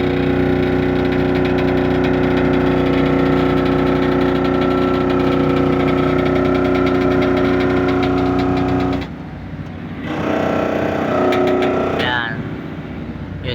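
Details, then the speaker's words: Excavator with a leaking left boom cylinder and low hydraulic tank oil, during boom-up: a heavy diesel drone with a pulsing throb and strained tones that dips and surges. The hydraulic pump is cavitating, sucking air for lack of oil. "Ganun po ang tunog ng isang excavator pag kulang po sa hydraulic oil o sobrang kapos na po sa hydraulic oil yung kanyang hydraulic tank. At yung hydraulic pump po, nahihirapan mag-pump kasi hindi sapat yung kanyang hydraulic oil."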